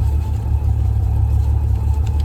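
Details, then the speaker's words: 1979 Volare wagon, 70,000 miles (possibly rolled over), sat in junkyard four years, after carb, plug wires, coil and alternator swap: deep uneven low-rev rumble, shaky beat, cause not pinned down. Rough running engine. "But this thing's really rough."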